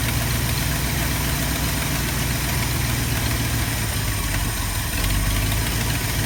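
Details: 1972 Ford F250 with 360 V8 and four-barrel carburetor, after a Pertronix Flame Thrower II distributor, coil, cables and plugs install and idle mixture screw adjustment: low, steady idle with an even, unhurried lope and no misfire or stumble; normal idle.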